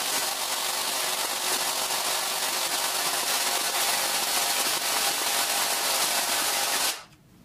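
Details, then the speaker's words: APS V2 airsoft gearbox stress test with M120 spring, new piston and rack, T238 brushless motor: a rapid rattling buzz cycling about four times a second, then it stops dead. Motor a little warm, pinion fine; the bevel gear teeth have sheared. "well we stopped why did we stop though I was expecting a massive failure it's definitely not doing as well as it should be"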